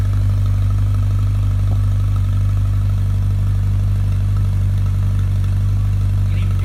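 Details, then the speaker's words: 2013 Honda CB1100 after fitting Wyvern 4-into-4 exhaust pipes: deep, steady, even idle with firm low rumble, no knocks or misses, much louder than before; normal idle. "I'm going to start it up right now. It's a lot louder than it was before."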